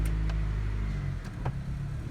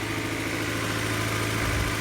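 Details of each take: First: 1999 Honda CR-V B20Z after a valve adjustment: steady low idle with a deep, slightly throaty rumble and no top-end knock; exhaust leaking past a still-loose O-ring at the back of the canister; otherwise sounds and feels fine. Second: 1999 Honda CR-V B20Z four-cylinder, first start after a valve adjustment, long unused: steady idle a touch high, with a slight belt squeal, smooth and even, no valve-cover ticking, healthy.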